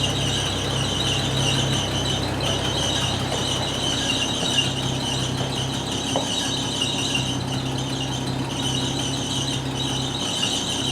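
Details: 1980 Chevy C10 square body pickup, long-abandoned, running after the fuel line was put back together: loud, constant high-pitched squeal over a steady idle that never lets up, loose drive belt slipping. Loose drive belt squeal.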